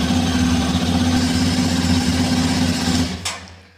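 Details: Xpulse 210 single-cylinder engine at almost 3825 km, nearly at second service, idling after start: even, steady idle with no tappet ticking from the top end before switch-off; healthy engine, no tappet noise.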